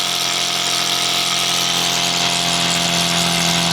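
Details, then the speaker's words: Competition single-acting twin-cylinder steam engine (4.9 cc, 14 x 16 mm, full bearings) on Scott double-flow boiler, bench test with propeller, throttle fully open at 2 bar: fast even chuffing into steady high buzz, speed barely dropping; healthy. "2 barres. Alors là, je suis à fond, j'ai ouvert à fond."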